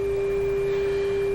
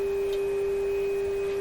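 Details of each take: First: Restored Canadian Westinghouse 981 shortwave radio tuned to 10 MHz, signal generator at 10 MHz, 1000 microvolts, during final sensitivity test: steady clean tone around 400 Hz, even level, little hum; receiver working normally. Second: Canadian Westinghouse 981 shortwave radio, tuned to a 10 MHz signal generator test signal: single steady pure tone, sagging slightly near the end; signal comes through but the band sounds insensitive, weak reception on one band.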